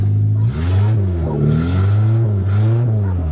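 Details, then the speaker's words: Suzuki Swift 1.3, previously rolled over, running on a makeshift fuel system with tubing fed through the firewall from a tank in the front seat: clean throttle blips, note rising and falling smoothly three times, no misses or rattles; normal revving. "Here we go. Well, I hear it running. Oh yeah, simple as that."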